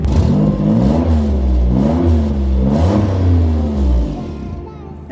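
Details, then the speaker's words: 800 hp Nissan GT-R being revved: the revs swing with a deep, hollow drone instead of the usual GT-R note. Clamps and boost leaks are still to be checked; the owner suspects an exhaust leak, not confirmed. Deep droning exhaust note. "it doesn't even sound like a gtr anymore it sounds like a freaking subaru or something bro it sounds so bad it does not sound like a gtr dude"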